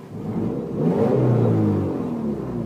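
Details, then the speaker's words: Warm petrol engine in a Subaru Legacy revving up and settling after warm-up, fan running, temperature good; slightly raspy, throaty edge from a definite exhaust leak. "definitely got an exhaust leak but that's alright I just really want the engine under this car"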